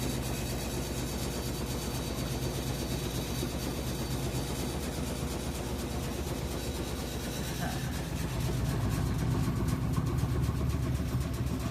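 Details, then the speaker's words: Whirlpool top-load washer WTW4816FW3, bought new July 2023, circuit board already replaced: continuous low drum rumble with fast churning beat swelling after eight seconds, spinning instead of rinsing, new noises; owner checks for loose metal. "So it's spinning when it's supposed to be rinsing. It's making new noises too, but still it's spinning. It's not rinsing."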